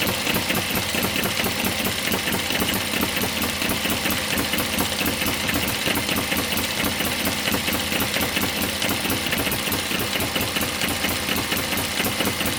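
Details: One of several model steam, Stirling or hit-and-miss engines driving a homemade Baker fan as a working load. Rapid, even chuff with hissy exhaust and steady beat while pulling the fan; normal running under load.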